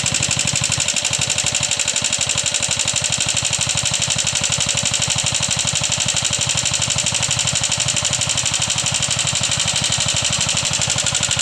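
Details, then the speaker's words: Yamaha Jupiter MX at idle with a loud, fast, sharp, even tick of about three per second from the top end. It persists after the rocker arms were replaced. Cause not yet found; teardown to inspect follows. "jadi seperti ituah suara ngitik yang terjadi pada motor Jaha jupitar MX ini"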